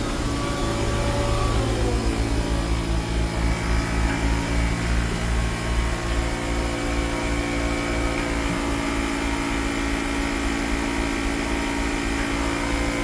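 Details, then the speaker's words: 2010 Mercedes-Benz GL450, engine idling after replacing the air suspension valve body module: steady electric hum shifting pitch slightly as pressure builds; air suspension compressor pumping normally, right side rising. "It's going to take a while for this to come, but I can see the right side is already moving up quite fast."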